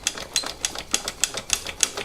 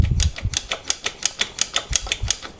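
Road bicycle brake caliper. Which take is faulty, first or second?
first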